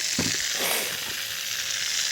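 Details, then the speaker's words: Pressurised leak on a main drip irrigation line while repairing with a compression coupling: steady high-pitched hiss with handling knocks at the start; another hidden leak, suspected a snapped-off fitting nearby. "I'm hearing I'm hearing another leak somewhere I can hear it it's in here somewhere and I'll bet you another one is snapped off"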